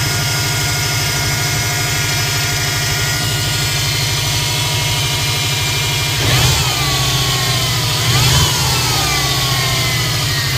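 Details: 2005 Subaru Impreza WRX idling: steady high whine rising briefly with each light throttle blip; owner also hears turbo whistle when driving; whining source not pinned down.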